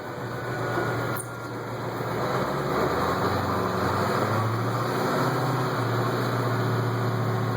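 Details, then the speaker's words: 1989 Chevy Thomas school bus with 8.2 Detroit diesel, pulling away on a driving lap: deep, even drone rising smoothly, no knocks or misses; owner says listen to her purr, healthy engine. "You listen to that 8-2 Detroit. I'll swing around here. There you go. Yep, listen to her purr."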